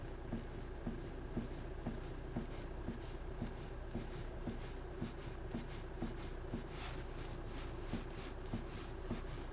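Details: Hyundai Santa Fe DM: light, sharp knocks about twice a second over a quiet background, a knock somewhere in the steering; cause not identified.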